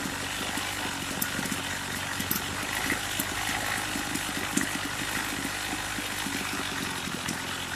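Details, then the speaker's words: Craftsman two-stroke string trimmer, possibly damaged by a tank run without oil: raised, ragged, uneven idle with sputters; owner suspects it is not getting enough fuel and plans to turn the low screw up an eighth of a turn. "Sounds like it's not getting enough fuel. So I'm going to turn the low screw up."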